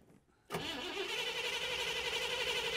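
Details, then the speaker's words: Engine with Holley Sniper EFI and Dual Sync distributor cranked with fuel pump relay removed for a static timing check at 15 degrees: steady, even cranking with strong starter whine, no start; timing confirmed at 15 degrees. "now we just need to double check that timing by just cranking it over while we still have the fuel pump relay removed"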